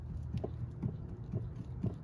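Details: 1971 Corvette C3 steering column checked by hand during Borgeson power steering install: soft dull thumps about twice a second, a small play knock; it rolls nicely but has slight movement, owner thinks new bearings may help.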